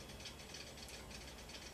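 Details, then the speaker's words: HP Pavilion Media Center M376 PC, about 2003, WD hard drive on boot: quiet repeated ratcheting clicks about three per second, click of death, drive cannot read, black screen; owner plans circuit board swap, cause unconfirmed. "I went to use my computer and my computer will not boot as you see it starts to boot and I'm gonna get the click and then after I get click it wants me to change my hard drive"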